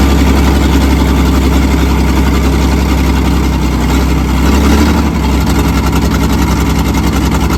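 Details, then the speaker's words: Old loading shovel diesel abandoned 18 years, first start on ether with revs raised by cable tie; loud uneven lumpy idle that stumbles, one cylinder dropping out from a sticking open valve, not colliding; exhaust puffing from that manifold, rocker cover likely to come off. "but it runs it runs yeah you can hear that valve is open it's obviously not a huge amount because it's not colliding with"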